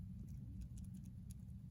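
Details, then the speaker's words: Owner's Rolex Oyster shaken hard: only a few faint, light clicks and no rattle; it stays quiet compared with another 124300 that rattles. "my oyster retro see how see how quiet it is and i'm shaking it the same"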